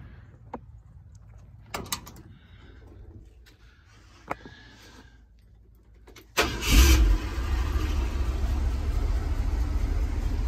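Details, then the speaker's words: 1971 Ford F100 V8, after new Remflex metal header-collector gaskets replaced failing paper ones, chilly evening: a few clinks, then it catches and settles into a low steady burble, exhaust sealed, no ticking or rattle left; normal idle. "sounds better [Music] i'm not a tick tick tick anymore that rattling"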